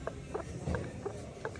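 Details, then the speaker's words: Nissan Qashqai, nearside (passenger) front strut top mount worn: light regular knocks, about three a second, as the suspension is rocked by hand, with visible movement in the strut top; loud knocking over bumpy roads; fixed with a new strut top mount. "and see all the movement in the strut top there you can actually hear it just knocking a bit as well but yeah over the road just on like bumpy Services we're getting quite a loud knocking noise"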